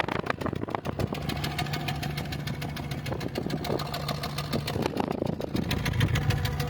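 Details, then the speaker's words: 2007 Honda City petrol engine idling with uneven stumbling misfire; compression test shows cylinder 1 far lower than the other three, attributed to leaking head intake/exhaust valves, a mechanical rather than electrical fault. "सते cylinder number एक का जो है pressure बहुत ही बाकी तीन cylinder के मुकाबले में बहुत ही कम है तभी जो है मिस फायर का इशू आ रहा है"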